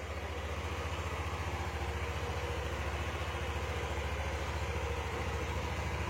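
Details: Yamaha Aerox 155 after fixing miswired harness from a previous shop that caused code 46: steady, even putter at about 214 pulses a minute with no hunting; idles smooth, code cleared.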